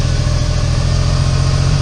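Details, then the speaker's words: Smart City Cabriolet (450) Pulse, 0.6-litre 61hp engine, at idle: deep, uneven thump with a stumbling beat from a cylinder 3 misfire; owner suspects burnt exhaust valve losing compression, compression test pending. "I'll just give it a start. As you can probably hear, it's running pretty poorly."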